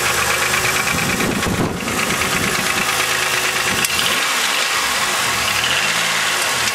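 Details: 2000 Chevrolet Malibu 3.1 V6 with 145,000 km, at idle during warm-up: sharp rapid ticking knock, only slightly better as it warms; flush and thicker oil didn't help; owner suspects piston slap, unconfirmed; engine knock at idle.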